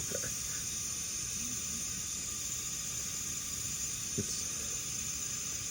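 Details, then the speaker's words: MCI bus with a Detroit Diesel 8V92TA whose suspension would not rise: a constant sharp, steady hiss with no rhythm as air escapes from the three rear suspension valves or fittings, all leaking. "I can't see the other side all three of those things are leaking back"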